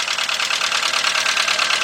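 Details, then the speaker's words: VW Beetle/Golf/Jetta 2.0, bought used, idling under the hood after fuel pump replacement: uneven stumbling idle with beats dropping out; misfire, owner suspects original plug wires, not confirmed. "all right let's go up under the hood man this thing sound bad but this is part this is uh the vehicle that we bought so next we got diagnosed what the heck definitely got a misfire"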